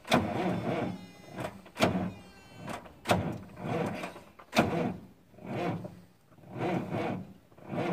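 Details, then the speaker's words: Freightliner FLD120 truck, 397k miles, first start attempt after sitting 17 years, clutch pushed in: starter labours in slow heavy surges about one per second, engine barely turning with no firing; hard, slow cranking. "push the clutch in I don't know that dragging anything down or not it doesn't like to turn over"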